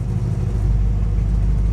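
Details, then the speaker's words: 1959 Dodge Coronet V8 idling after fresh oil, with no fuel filter fitted: steady, even low rumble with no knocks or misses; runs smoothly. "and she runs so damn good like this car man"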